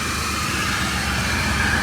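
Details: Maruti 800 after workshop silencer repair that fixed a loud rough exhaust noise and vibration: small petrol engine idles steadily with an even, soft exhaust hum and no puffing or blowing; the car now sounds normal.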